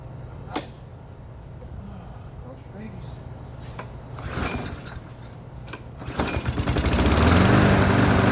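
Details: Trash-found lawnmower started after fresh gas, no air filter or housing, owner attributes slight roughness to that; catches and builds to a fast steady firing beat, no smoke, no knocking; normal running.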